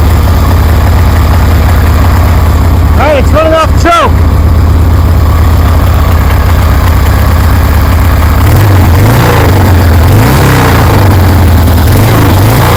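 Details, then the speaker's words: 1973 Harley-Davidson Sportster fitted with a Keihin CV40 carburetor, idle just adjusted, low on fuel: deep, even V-twin lope at idle, then clean throttle blips that pick up and settle smoothly. It sounds good, a normal healthy idle. "Damn, that sounds good."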